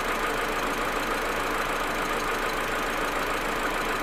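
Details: Audi A4 1.8T at cold idle: uneven idle, irregular stutter about once a second over hissy background; smooth once warm. Plugs, coils, ignition amplifier and vacuum hoses replaced; owner suspects injectors or carbon buildup, misfire cause unknown.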